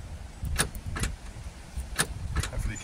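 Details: Land Rover Discovery 3 after replacing a failed tailgate switch: four crisp clicks about half a second to a second apart over a quiet idle, the release actuating properly; normal tailgate release.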